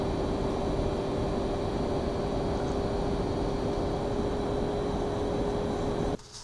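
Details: Pentium 4 era laptop at startup. A steady loud whoosh with a constant hum on top cuts off when it shuts down; the cooling fan runs noisily. Loud cooling fan.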